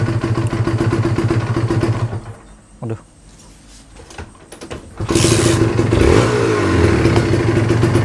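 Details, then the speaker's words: Kawasaki Ninja two-stroke after compression/carbon work, stock exhaust, weak battery: crisp crackle at steady idle, then clean blips and revs with no knocks or rattles; sounds smooth and healthy. Normal running and revving. "terdengarnya m e masih adem ya guys ya terdengarnya adem gua berani lbayer karena knalpotnya standar ya guys ya"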